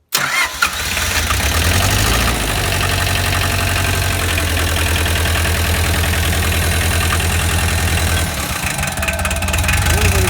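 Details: Bobcat tractor diesel engine, just rebuilt with valves set at 5–7 thousandths, first start after glow plugs: brief crank, quick catch, then steady even clatter at idle with no knocks or misfires; normal start and idle.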